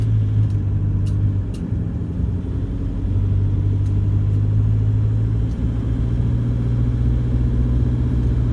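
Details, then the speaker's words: 2014 Toyota Hilux 1KD-FTV diesel, 111k, after replacing faulty injectors, driving under light load: steady low diesel drone with no harsh knock or rattle; normal diesel combustion noise. "that combustion is beautiful it's normal it's not noisy you can hear that it's a diesel and normal sort of diesel noises not abnormal diesel noises"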